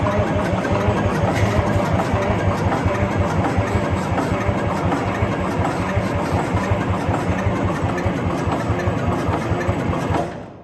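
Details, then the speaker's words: Wagner W4 loader with Detroit Diesel 4-53 two-stroke, cranking: about ten seconds of steady rhythmic cranking that never catches; cranks but no start, cause not confirmed. "It's the way she goes. Sometimes she goes, sometimes it doesn't. She didn't go."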